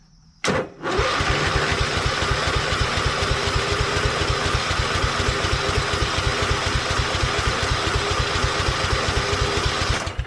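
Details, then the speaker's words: Hydro lawn tractor, sat about a year, on choke: strong, even starter cranking about four beats a second for nine seconds, never catching; battery fine but fuel shut-off was closed and tank turned out empty. "Battery's strong enough, but it's not starting. Has the fuel shut off? It's off."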